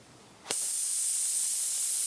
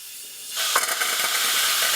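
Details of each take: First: CNC machine total-loss way lube system: compressed air blown through a one-way restrictor flipped 180 degrees gives a sudden sharp, steady whistling hiss, confirming the part flows one way only. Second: CNC machine total-loss way lube system: compressed air purges a lube line through the saddle, sudden sharp hiss with sputtering gurgling bursts as oil and trapped air are blown out, cleaning the line.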